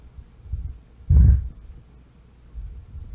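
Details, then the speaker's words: Miller & Kreisel MX-90 subwoofer amp powered up with input and speaker terminals disconnected: low rumble and crackling thumps even with the level pot turned down. The cause was a defective bass level pot, which was replaced. "so let's go ahead and power it up and i do hear something it is making a low rumble almost like a crackling sound"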